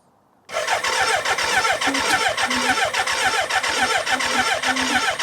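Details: BMW K100 after fuel tank overhaul with new internals, refilled tank, reinstalled battery, clutch pulled, first start attempt outdoors: starter turns the engine in steady pulses under a faint electric hum from the fuel pump; healthy cranking with fuel delivered.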